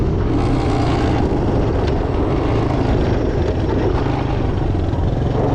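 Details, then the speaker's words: 1982 Honda ATC 200 Big Red three-wheeler, repaired after fuel leaks and drivetrain noise from a stretched chain hitting its guard, on a test ride through the gears: the single cylinder pulls evenly with no knocks or misses. Normal running under load. "First gear, second gear, third gear, fourth gear. We got one more. I think we got her."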